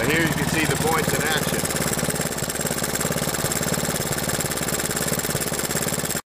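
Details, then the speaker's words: Honda 110 three-wheeler after the ignition timing and points were adjusted (it had bogged and backfired under heavy throttle despite a carb rebuild), not yet warm: it started easily and idles evenly at three to four beats a second with no misses. "Yeah, it started nice and easy. It's idling nice,"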